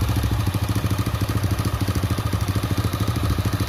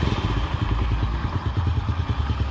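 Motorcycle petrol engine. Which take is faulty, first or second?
first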